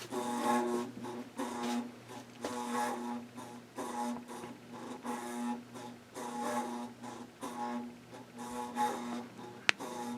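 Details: Loud humming drone from a 1992 Bahama 52-inch hugger ceiling fan on low speed, swelling and fading in a slow cycle; much louder than before, quieter on medium; blades warped. Possibly worn bearings or weak capacitor.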